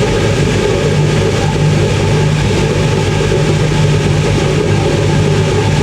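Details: 1980s Ariston by Colston Electronic 3000 spin dryer, auto pump version, ramping up toward 3,000 rpm with towels, lid held: steady loud low rumble with even hum, no knocking or scraping; normal high-speed spin.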